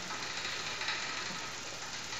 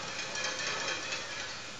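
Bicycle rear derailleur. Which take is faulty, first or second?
second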